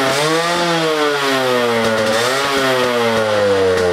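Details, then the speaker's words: Rebuilt Yamaha RXZ two-stroke motorcycle after its first start, carburetor well tuned, owner worried a few screws may be loose: a crisp buzz that climbs and drops cleanly with the throttle, with no misses or rattles; normal running. "so other than that the bike actually runs pretty well I am little scared because I'm not sure what I tightened so a couple of screws might be loose"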